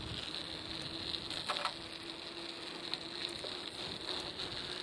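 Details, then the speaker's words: Bicycle on studded winter tires rolling over clear pavement at about 0 °C after snowfall: a quiet, constant gritty, grindy hiss with light crackle as the metal studs slide across the pavement, normal for studded tires. "might hear the noise from my tires. It's kind of a gritty, kind of a grindy sound. That's because of, the metal studs that are on the tires. They kind of slide across the pavement"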